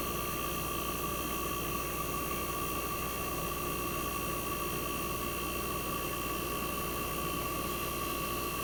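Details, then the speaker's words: 1965 Fedders Weather Wheel air conditioner just after cold start in a very cold shop: quiet even hum, steady tone near 1 kHz, soft hiss, no knocking or rattle; compressor smooth at almost 59 revolutions per second, head pressure starting to build. "Alright, so the compressor is running smooth. It's very quiet."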